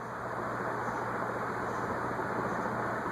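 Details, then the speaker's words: c.1985 Envirofan Gold Line 160F-7 industrial ceiling fan on high, drawing 0.72 A: steady air rush and low motor hum, with a faint high chirp about every second from dry bearings needing lubrication. "Bearings are a little dry. You hear it? Yeah, actually I do."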